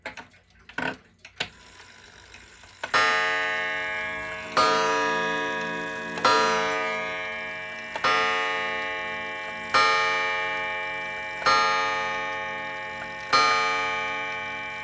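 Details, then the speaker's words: Vintage Centurion 35 Day wall clock (bought 1976), after repair; full-hour strike activates the movement: eight clear, evenly spaced bell strikes about 1.7 s apart, each ringing cleanly; normal hour strike. "I'm gonna turn the chime on so you can hear it. Passive half-hour striking. And then for the full hour, it activates the movement."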